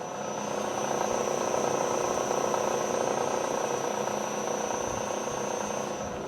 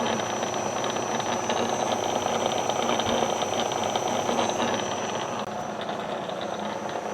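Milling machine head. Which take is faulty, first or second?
second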